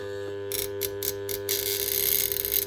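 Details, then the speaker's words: Burnt-out armature from a Bosch GWS 9-115S grinder tested on a growler: steady mains hum with bursts of rapid buzzing as the blade is magnetized and chatters against the armature at the mains frequency; shorted windings confirmed. "it's getting magnetized and attracted to the armature. And that vibrating noise is the frequency of the power going on."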